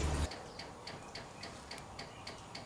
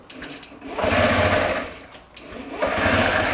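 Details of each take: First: Honda Ruckus scooter, key on and engine off, after draining old brown fuel and adding fresh gas: a crisp, light ticking about three times a second is the fuel pump priming normally. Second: Honda Ruckus scooter first started on a borrowed battery after long sitting: slow, lumpy putter like an old tractor that sags almost to stalling, and it dies when given gas. Owner suspects a dirty carburetor.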